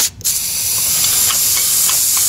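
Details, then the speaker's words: VAZ 2121 Niva Solex carburetor jet being blown through with a pointed compressed-air nozzle at about 8 atmospheres: sharp steady hiss passing straight through without choking or sputter, changing pitch, showing the jet channel is clear. "меняется звук то есть для меня канал чистый понимаете"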